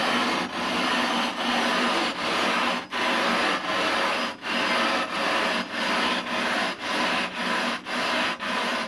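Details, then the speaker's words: Rough grinding a 20-inch telescope mirror with number ten abrasive: slow back-and-forth rasping strokes soften from a harsh grind into a dull murmur as the abrasive wears to a smaller grain and stops cutting the glass, so it needs replacing. "as I proceed you're going to hear the sound softened very quickly so you don't hear that harsh grinding sound it disappears into a soft sort of murmur at that point the abrasive is really not much use anymore because it's worn down into a much smaller grain size and so it doesn't cut the glass effectively"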